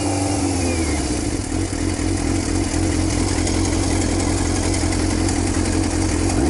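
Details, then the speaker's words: Used salvage-title motorcycle with almost 10k miles, on choke after sitting about two months: fast, even idle holding steady without misses or knocks; the owner thinks it runs a little rich. "I'll go take the choke off. This seems like it runs a little rich."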